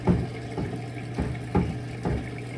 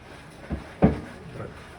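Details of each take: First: Kenmore Elite front-load washer, model 110.42922200, diagnostic step CO6 drain: a low, steady pump hum with soft gurgling surges about every half second as water clears. The drain pump is working normally. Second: Kenmore Elite front-load washer, model 110.42922200, in diagnostic tumble mode: a slow tumble with dull, irregular thumps about half a second to a second apart. Worn drum bearings are knocking, a repair that costs about as much as a new washer.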